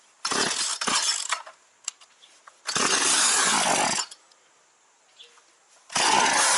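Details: Partner 351 chainsaw that stalls when the choke is taken off or throttle added, after carburetor disassembly and reassembly with fresh fuel: engine bursts to a screaming rev then dies, repeatedly, very uneven; carburetor adjustment next, cause unconfirmed.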